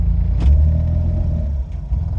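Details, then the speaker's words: Autozam AZ-1/Suzuki Cara small turbo kei engine on a Keisport plug-and-play ECU, cold start at about 40-44°F after sitting over a week: idles well at first, but after a throttle jab the drone swells and sags with clicking at the rear, idle hunting. "yep I literally just jabbed it and it throttled up a little bit more and now it's all over the place can hear a bunch of clicking back there too it runs terrible"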